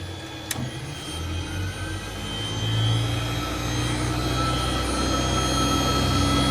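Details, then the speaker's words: British Centurion Mk13 tank, about 50 years old, engine removed, on main power: metadyne generator holds a deep steady hum with faint whine while turret and gun stabilization system don't respond; cause not yet found. "This is scary. Right. Nothing seems to be happening."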